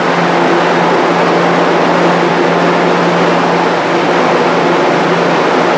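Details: Restored, powder-coated Jenny fan with a variable-speed-capable motor, running while sitting on wooden blocks: a constant low drone and steady airflow with no beat, knock, scraping or vibration; normal running.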